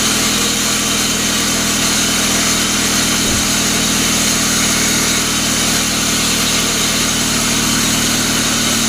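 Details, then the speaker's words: 1999 Pontiac Grand Am, rebuilt GM LD9 2.4 Quad 4, first start-up after rebuild: harsh steady gritty grinding over idle with no rhythm of its own, suspected from the AC compressor clutch on the serpentine belt. "all right let's let's see if she'll fire up here so so so this other ac compressor clutch making some noise"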